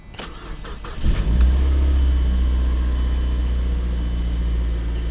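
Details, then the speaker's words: Car with an automatic, salvage auction, front-end damage, chilly day: a quick crank, an immediate catch and a smooth, even idle with no misfire or tapping. Normal start and idle. "Oh, she fired right up. Runs good."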